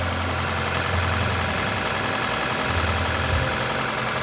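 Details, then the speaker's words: Toyota Camry Hybrid 2AZ four-cylinder after cylinder head and head gasket repair, running without a catalytic converter: even idle with a steady hum and slight exhaust rasp, no ticking or knocking. Calmer than before the repair. "Even though this car doesn't have a catalyst, it's still fairly calm compared to how it came."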